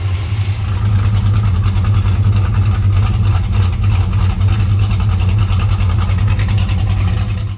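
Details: 1968 Chrysler Newport Custom V8 with Holley Sniper fuel injection idling at about 11–12 degrees timing while warming up to temperature; even lumpy idle with steady low pulse, no tapping, knocking or misses; normal idle.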